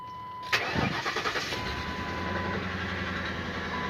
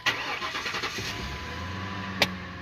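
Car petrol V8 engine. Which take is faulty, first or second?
first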